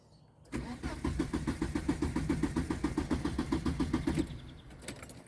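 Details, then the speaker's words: Volvo work truck cranks steadily for about four seconds without catching, and no fuel pump whine comes from under the seat; a crank, no start with the fuel pump not running. "Nope, not hearing any fuel pump. You should hear a whee from underneath my butt."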